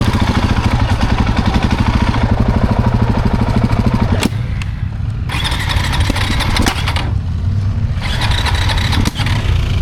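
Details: KTM 690 Euro 5 single after repeated stalls (last stall in too high a gear): fast even starter chuffing, won't catch; owner suspects intake valve clearance near 0.02 mm versus 0.12–0.15 mm spec.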